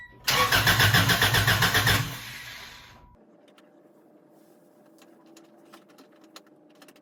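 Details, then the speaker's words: Honda DC2 Integra after fuel line repair with a new fuel filter, header off. First attempt to run fuel to the engine: about two seconds of even cranking with no catch. Owner says it is not getting fuel. Crank, no start. "i'm not getting fuel obviously"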